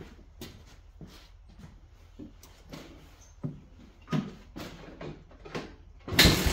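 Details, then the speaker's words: Honda FourTrax 250 single cylinder, not running, given starting fluid sprayed into the carb: clicks and handling, then a short loud burst as it fires and catches briefly; the fuel system is to be checked next. "spray a little bit of something something into the carb just to see if she pop off all right well let's see if we can get this thing to pop off"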